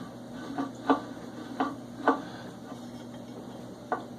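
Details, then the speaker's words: DR chipper/shredder, new, failed after 6 hours, hand-turned rotor during repair: sharp metallic tick about once a turn at the same spot as the knife hits a bolt head; likely two spacers too thick, one spacer planned. "as of right now, if I you can hear that noise, that's the knife, which is right here, rolling through and hit the back of this head."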